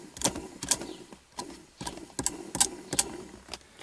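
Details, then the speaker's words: Opel Vectra C 2002 heater blower motor, removed and run on the bench: uneven rapid raspy bursts; brushes suspected. "на малых оборотах на 1 и на 2 вообще сильно шумит"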